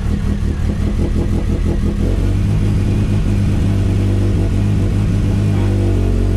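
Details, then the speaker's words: Big-power Zetec turbo first start after fixing fuel leaks, with flex fuel, new fuel filter, AN lines, 1000cc Bosch injectors and retuned ME442 map; 50 PSI oil pressure; revs then steady deep even drone, no misses or knocks; running rich and smoky but healthy. "She's a bit smoky, but she's good."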